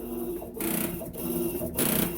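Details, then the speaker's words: Electrolux LTE12 washer (version 2) with a steady, buzzy motor hum broken by loud swishing surges about every half second; it was noisy during the spin cycle, and its control board was later repaired. "essa plaquinha aqui foi recuperada ela fazia barulho na hora de centrifugar vou colocar o vídeo para vocês ó ela quando vai bater"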